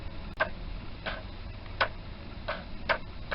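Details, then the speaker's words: Yamaha FZ400 project bike on heavy-duty jump leads at 12.53 V: sharp single clicks about once a second with no cranking, power reaching the starter but the engine never turns; owner suspects the starter motor. "so can hear the start really trying I can hear it getting to the starter motor but that let you in doing anything so I wonder if it's the starter motor"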